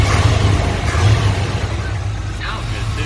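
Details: 1988 Chevy K2500 pickup, long-sitting, converted from factory fuel injection to a rebuilt Edelbrock 650 carburetor with new starter, clutch master and slave cylinders: deep V8 rumble revving and easing off evenly, no stumble or misfire; normal rev, engine healthy.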